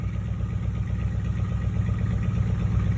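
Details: Rebuilt 1967 Chevrolet C10 V8 with small-pipe glass pack exhaust: deep steady lopey idle burble, about 160 pulses a minute, no knocks or misses; healthy engine, loud exhaust.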